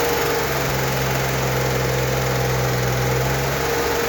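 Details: 1964 Corvair Monza Spyder turbo, freshly rebuilt engine during cam break-in at 2,000 RPM. Even, smooth drone with no ticks, knocks or misses. An oil leak later starts at the turbo drain.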